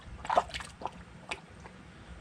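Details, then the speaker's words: Polaris RZR Highlifter 1000XP cooling system being filled with Engine Ice coolant: irregular soft gurgles and glugs as trapped air bubbles up. Air bubbles gurgling in the coolant; the system still needs bleeding at the 8 mm bleeder screw. "take your time with it because you're going to get all kinds of bubbles"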